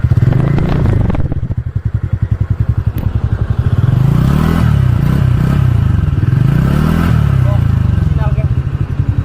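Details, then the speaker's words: TVS Ntorq XP Race Edition scooter, about 4 to 4.5 years old and little ridden: starts promptly and settles into an even putt of about three to four pulses a second. Healthy idle. "বাকী XPখনত আপোনালোকক ষ্টাৰ্টটো শুনাই দিওঁ 3 বছৰ 4 বছৰ 4.5 বছৰৰ মানে আপোনালোক চাউণ্ডটো কেনে আছে এতিয়াও বেছি চলা নাই"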